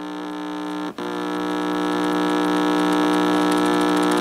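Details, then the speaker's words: GE tube radio believed to be an export X-216A (possibly X-153), speaker fed a tone from the signal generator at full audio output: a steady, clean low hum; the speaker works but is very quiet. "is the speaker making the noise down here that is this speaker making the noise so the speaker works it's just really quiet"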